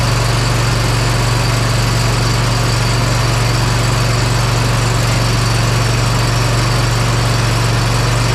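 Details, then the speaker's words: Bad Boy Maverick zero turn, Kohler Confidant V-twin, after replacing ignition coil that lost spark on one cylinder: strong, even idle on both cylinders, no misses; owner thinks coil was the issue. "yeah that sounded really good I'm thinking that that was our issue"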